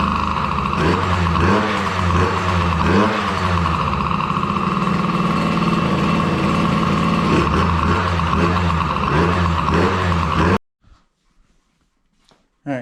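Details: DRR 90 small single after water pump rebuild (new kit for damaged shaft causing seal leak), coolant topped off, first start checking for leaks: buzzes at steady fast idle with light blips, smooth and even before cutting off; normal running.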